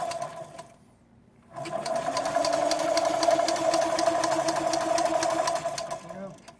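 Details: 1955 BMW Isetta 250 barn find, sitting 50 years, with spark being improvised: steady starter whine with even compression pulses about four a second, but it never catches. Cranks without firing, possibly no spark.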